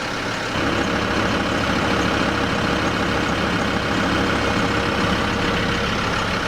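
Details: Land Rover Discovery 2 TD5 diesel after fuel filter change: steady even idle with constant hum and no fuel pump whine or buzz over it; pump noise gone, runs healthy.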